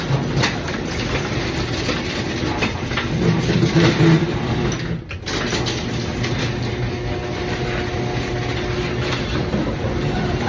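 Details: Garage door opening and closing before roller replacement: steady rumbling roll with uneven rattles and creaks, short pause midway; worn, corroded metal rollers from road salt and a roughly 30-year-old loose bracket.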